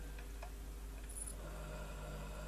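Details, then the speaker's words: UHER 4200 stereo tape recorder after freeing a stuck drive belt that had made the motor draw enough current to blow PCB tracks: quiet, steady motor hum and even whirr with no catching; the mechanism turns freely. "And now at this stage in the proceedings now, it does actually turn, as you can hear there."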